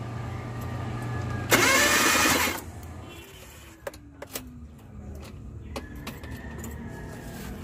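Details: Suzuki Multicab K6A no-start: about a second of starter cranking that never catches, then quiet with handling clicks; cranks but won't fire, camshaft sensor and wiring being checked.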